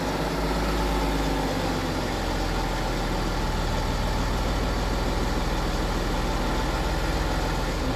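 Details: BMW F15 X5 with N57 diesel idling: steady low drone with a fine constant rattle in the background; possible timing chain noise, not confirmed.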